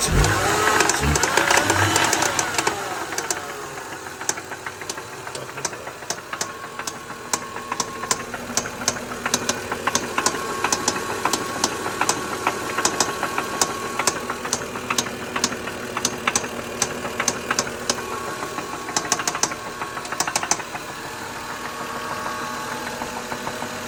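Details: 2003 Lexus GS300 petrol engine at idle: a sharp, fairly steady knock of about two hits a second over the running note; cause unknown.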